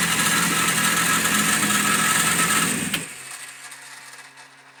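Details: Yamaha FZR engine running: high-pitched squeak over busy mechanical chatter, then everything dies away as it shuts off; cause unclear.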